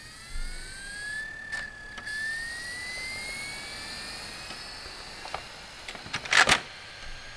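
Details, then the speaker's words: Amiga 1200 with internal CD-ROM drive, disc inserted: smooth whine climbs steadily in pitch as disc spins up, then light seek clicks, CD icon appears on Workbench; normal CD-ROM spin-up. "that okay so you've heard the uh CD ROM drive um in action there and you can hear that it's working and the little symbol has appeared on the workbench"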